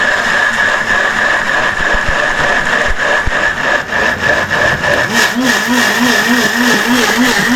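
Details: Atomberg Zenova mixer grinder running with the jar locked in place: a loud, steady high-pitched motor whine with a rough buzz beneath it, an unusually noisy running sound.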